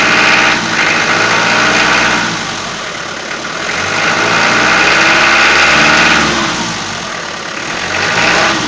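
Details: Toyota 4B diesel knock that began after an injection pump repair (plunger pair and nozzle replaced) and won't adjust out; light metallic clatter at idle, revs swelling and easing, strong on cold start until the glow plugs work, softer once warm, mostly heard in frost and after revving.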